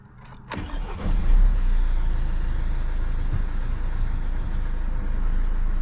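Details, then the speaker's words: Mercedes C-Class S204 OM651 diesel after timing chain replacement: short crank, catches at once and settles into steady even idle with low clatter, starting without problems. "startet ohne Probleme."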